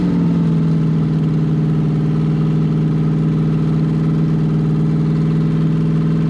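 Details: C5 Corvette V8 drivetrain on open headers, all eight exhaust ports checked by thermometer: loud, steady drone with even exhaust pulse, no misses or knocks; normal running.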